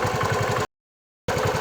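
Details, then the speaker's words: Bajaj Chetak 4-stroke scooter after about 7 minutes idling: the engine, smooth and one-kick starting at first, now thumps unevenly with a strange knock and misfire creeping in at idle; black smoke and rough running reported. "आपने देखा कि कैसे इंजन अजीब तरह का नॉक कर रहा है, मिसफायर कर रहा है।"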